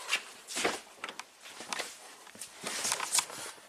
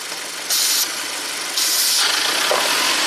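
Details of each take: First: 2017 Audi Q7 2.0 turbo with intermittent P0106 MAP code: handling noise, then starter catches and engine settles into a steady, even idle; nothing unusual heard. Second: 2017 Audi Q7 turbo with intermittent P0106 MAP code, before replacing the PCV breather: with the oil fill cap off, loud hiss of air rushing in while idle climbs to about 1700 rpm; excessive crankcase vacuum, breather suspected.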